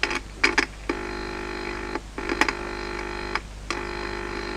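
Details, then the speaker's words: 1951 Telefunken A-1266 Colombo valve radio (EL41 output) during power-supply fault repair: a buzzy hum cuts in and out when touching the volume potentiometer or the output/preceding valve grid. The audio stage amplifies, working. "tocando en el potenciómetro eh hacía ruido y efectivamente como hab has escuchado eh Cuando toco el potenciómetro o toco eh la grilla bien sea de la lámpara de salida o incluso del anterior se oye"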